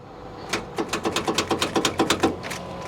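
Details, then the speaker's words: Salvage vehicle at auction: rapid dry clicks about seven per second and the engine never turns over; failing starter solenoid or loose wires, not a locked motor since cables stayed cool. "So what we have here is a solenoid that is failing or loose wires."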